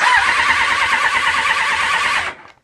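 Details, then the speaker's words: Honda VFR750 with carb problems, suspected of running on three cylinders rather than four, starts better than before but revs very high. A steady, wavering starter whir cranks for over two seconds without catching, then cuts out. Hard starting; cause unconfirmed. "I don't know what's going on with the carbs but I do know that we've made a huge improvement it starts even though it broadens really high up him"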